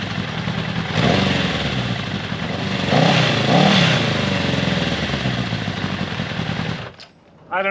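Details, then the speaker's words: 1979 Honda CB750 first start in over 20 years after carb cleaning, choke on, cold: four-cylinder idling low and uneven, near stalling; carbs need more tuning, owner may turn the idle adjustment screw up. "so it sounds like the carbs need a little bit more tuning i may need to turn the idle adjustment screw up"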